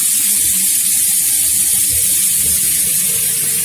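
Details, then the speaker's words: Double-circuit gas boiler with turbine fan, after removing the fan and cleaning off soot and dirt, hot water running: steady even hiss of burner and water with no growl underneath; fan now quiet, normal running after cleaning. "После этого вы слышите, что вентилятор работает тихо, не рычит, как раньше, а это значит, что мы всё сделали правильно."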